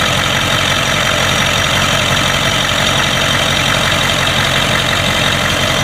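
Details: 1992 Ford 7.3 IDI diesel at idle, rough and uneven with irregular knocking and a chuffing, gassy undertone. The random misfire comes with intermittent blowby. Teardown found the second ring broken on two pistons, plus one bad valve guide.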